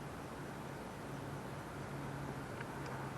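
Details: 2007 Jeep Compass with vibration in drive that is absent in neutral: low, even hum at a steady level with no shake or rhythmic knock, idling smoothly in neutral; normal idle, in-gear vibration blamed on engine mounts.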